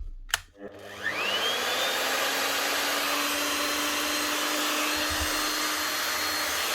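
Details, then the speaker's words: DeWalt DW625E type 5 half-inch router after replacing its two bearings (6201 and 6005); it was stalling at start before. A click, then a quick wind-up to a steady high whine with no grinding: normal running. "look at that up and running again no problem smooth as anything now all that needed two bearings a 6201 and a 6005"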